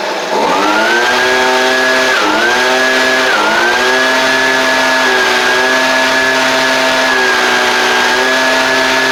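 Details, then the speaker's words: Husqvarna 125B two-stroke blower, previously non-running, first start after fitting a Hipa carb kit with no carb adjustment: primer bulb working, started on choke, settles into a clean steady high buzz with two brief pitch dips; runs well, tiny adjustment possible. "could have, you know, tiny bit of adjustment that could be done with it, but all in all, that's pretty good out of the box."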